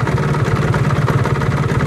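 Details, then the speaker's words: Motorcycle rattling at idle from the right-side crankcase when the clutch lever is released, gone when it is pulled in; busy uneven clatter over the idle beat; clutch damper rubbers to be checked first, source unconfirmed. "Oke teman-teman, jadi motor ini keluhannya kalau kita lepasin kompling bunyinya ngeradak seperti ini."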